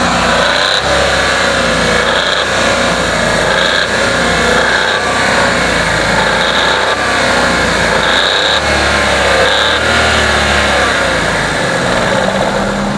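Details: Car engine running and revving, loud mechanical clatter with a faint dull knock beneath, attributed to the crankshaft; engine knocking, cause suspected, not confirmed.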